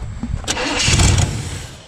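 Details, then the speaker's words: 1964 Chevy Impala SS convertible with newer Holley carburetor and mechanical fuel pump, fed from a gas jug: catches with a rough burst then dies within a second; likely fuel-starved, the jug nearly empty or hose out of the fuel. "oh come on man this thing running for 15 minutes earlier and now it wants to be stupid"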